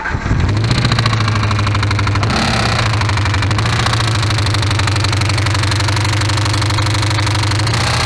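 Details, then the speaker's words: Ford Crown Victoria after spark plug change and throttle body cleaning: a fast steady ticking clatter over an even idle; with valve covers off, no oil was found reaching the top of the engine. "we took off the valve covers on the Crown Vic and we spun it over and we figured out that it had no no oil going to the top of the motor"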